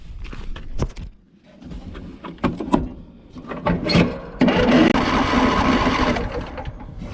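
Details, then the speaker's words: Old junk tractor, carburetor cleaned, oil drained, fuel line disconnected and fuel pump pulling from a tank not in its mount: uneven starter churning with scraping clatter, three to four turns a second, never catches; owner suspects fuel ran out of the line, crank no start. "all right i'm gonna have to get some uh some spray for that real quick i think all the fuel ran out of the line after i disconnected it"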